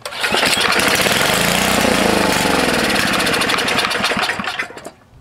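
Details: Tecumseh HS40 engine, about 4 hp, sat unused for years; long pull-start cranking with uneven rattling chuffs that never catch and run, choke full, gas poured in; dirty carburetor starving it of fuel.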